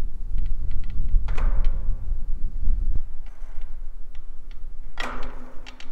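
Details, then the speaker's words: An old wind-driven windmill gives a heavy metallic clank with ringing at each top dead center stroke reversal, about every two seconds. Key and keyway play is the cause, and the windmill is judged to have only a couple of years left. "there so when it hits the top dead center and it switches over is where that big clank's coming from"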